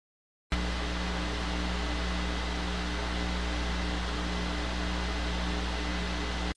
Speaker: шум я думаю все знакомы с этим шипением которое доносится из динамиков и этому может быть масса причин